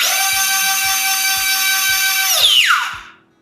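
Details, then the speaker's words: Steady high electric whine that falls smoothly as the ducted fan spools down, from an E-flite UMX Citation Longitude twin 30mm EDF jet during a gentle throttle test with the plane secured; the motor is working properly. "We can hear the whine of our motor, and we know it's working properly."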